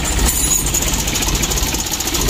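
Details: Mitsubishi L300 diesel: idle too low, engine shaking and power much reduced; rough, uneven idle with a coarse snoring drone under the clatter, from a slack timing belt rubbing its cover.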